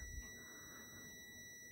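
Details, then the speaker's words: Multimeter on continuity across a cooker oven thermostat selector switch with the dial at high: one steady, high continuous beep, going off at zero. The contacts close properly, so the switch is good. "You can hear it buzzing already. So, that's at high. It's on."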